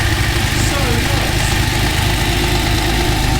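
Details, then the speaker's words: TVR Tuscan at steady idle after throttle-body balancing: light, uneven ticking about three per second from the top end; owner suspects a head problem in the middle of the engine and plans to take the head off in the car. "Uh but the noise is not still sounds top end. That probably means head off."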